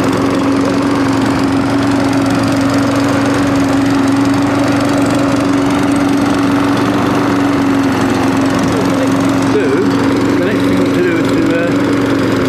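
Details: Old Mountfield push mower with entry-level Honda vertical-crankshaft engine, after clearing debris from carburettor float needle valve to stop leaking: steady even single-cylinder drone, constant hum, no misses or surging; normal running.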